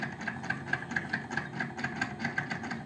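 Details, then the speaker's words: Daewoo refrigerator evaporator fan motor, cleaned about a year earlier, noisy again and now loud: fast, uneven ticking and buzzing over a low hum. The owner suspects vibration knocked the fan blades loose. Noisy fan motor. "hoy les traigo información acerca de un refrigerador que le está sonando el motor"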